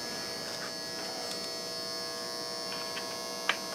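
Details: Optoma UHD60 4K DLP projector after the flaked-off color wheel index mark was re-taped, following a lamp replacement that did not fix the lamp-light flashing. It runs, with a steady, high-pitched whirring buzz with a gritty edge from a color wheel that seems worn out.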